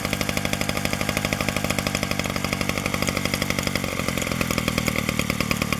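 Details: 1947 Danarm Junior Mk1 two-stroke chainsaw after full restoration (new bearings, coil, condenser; remade fixings; timing set), no fuel tank yet, only a drop of fuel in the pipe: fast, even popping with a steady crisp beat; runs normally.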